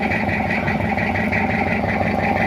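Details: Toyota Kijang diesel just after an engine overhaul for oil consumption: even, steady idle clatter with a smooth regular beat and no knocks or misses, a little white smoke and water vapour from the exhaust, not yet re-tuned; healthy idle.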